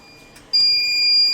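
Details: Smarten Saver 2000 inverter giving a beep and dropping output when mains 220 V is applied: steady high-pitched continuous beep starting abruptly; relay coil stays at about 9 V because the relay driver transistor is shorted or its base gets supply.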